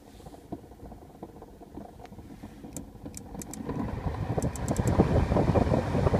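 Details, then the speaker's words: 2008 Mazda 5 makes an irregular bubbling, popping gurgle from behind the dash, like a coffee percolator, growing louder after a few seconds. It seems unrelated to the blower. Owner suspects air trapped in the heater core, coolant needing burping, or the radiator cap. "What is this sound? I don't think it's associated with the blower or the fan. It sounds like a coffee percolator."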